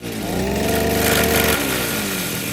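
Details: Brush cutter revved to a high buzzing pitch, held, then dropping back with a rough edge; gear head vibrates because the blade isn't seated in its lock. Fix: stop engine, lock blade via side hole, remove nut and cover, reseat blade.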